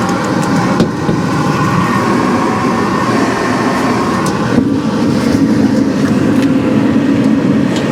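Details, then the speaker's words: 2017 Central Boiler Classic Edge 550 outdoor wood boiler, newly replaced combustion (draft) blower, mic held up to the fan: steady, even rushing of air with no rattle or tick; very quiet compared with the rickety old blower. "So as you can hear, the blower is now very, very quiet compared to the rickety sound it was making before."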